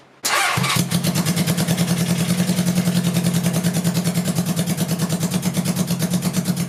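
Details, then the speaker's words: Honda CB750C (1980) engine in a go-kart after a swap to dual Mikuni 34mm carbs, first start without air filters: steady low idle with an uneven, lumpy exhaust beat, some cylinders not firing. "um it did sound like I'm struggling a little bit and I went and felt under the headers and air was coming out but some of them felt like it was actually firing in the combustion chamber and some of them just felt like you're just going through the strokes without"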